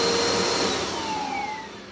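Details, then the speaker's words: 2017 Bissell Powerforce Compact 2112 vacuum after brush roll bearing swap: steady motor roar with thin whistling tones sliding in pitch as it spins down, not from the brush roll; air leak whistle. "I'm going to run this for a second just because there's some type of like an air leak somewhere, and it sounds like this."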